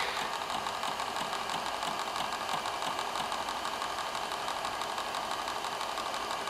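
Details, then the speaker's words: Sharp X68000 Ace HD after repair; floppy had spun with the head not moving. After reset, fast even ticking about three per second over a steady whirr as drive heads seek and the disk loads: normal floppy and hard drive operation. "and then what we're going to do is hit the reset button, and you should be able to hear the hard drive and the disk drive."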